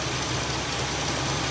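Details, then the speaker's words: 1964 Buick Electra V8 right after first start with a new Edelbrock 4-barrel replacing the Rochester 4Jet, cranked to prime. Steady, even idle with a smooth low rumble and no misses or knocks. "that's pretty normal with an edelbrock though it usually works right out of the box so i'm gonna let her get up to temperature"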